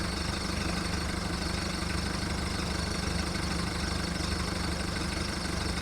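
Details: VW Golf mk1 1.9 TD turbo diesel warming up after first cold start following 5 months storage: uneven lumpy idle clatter about three and a half beats a second; rough idle.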